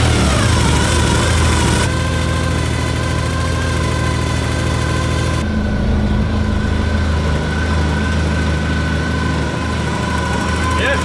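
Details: Porsche 944 after full service (timing belts, water pump, gaskets, cam housing, injector o-rings, oil, filters): starts immediately, steady even low idle, no knocks or misses; healthy.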